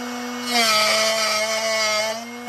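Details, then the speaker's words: Drill Doctor XPK sharpening a 118° drill bit: a steady motor whine swells into bright, raspy grinding as the bit contacts the wheel. Keep sharpening until the grinding stops. "you want to keep sharpening until you don't hear that grinding noise that's when you know you're"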